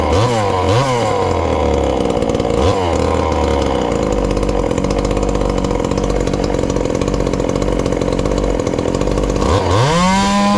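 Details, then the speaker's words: Ported little 2375 chainsaw, still on its regular fuel and nearly out, before switching to methanol: burbly idle with a soft four-stroking lope, then a clean smooth rev. Runs well, slightly rich. "that's not too bad and she's still fat and happy there but i believe we get that alcohol in it um should turn on up a little bit"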